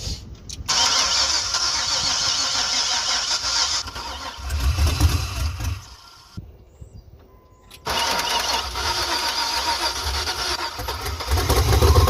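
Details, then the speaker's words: OBS Chevy truck with 6.0 LS swap, first start, run on sprayed starter fluid because fuel pump too weak and rusty tank clogged system: cranks, fires, roars briefly, sags nearly dying, catches again on spray; no fuel supply. "We've been doing it off of good old starter fluid because the pump wasn't strong enough."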